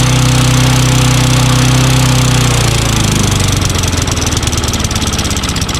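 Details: Curb-found Craftsman push mower with Tecumseh engine, running after a new magneto, checked valves and intake/carburetor/cable replacement: single-cylinder runs loud and steady at about four beats a second, holding speed without sputtering or stalling; normal running.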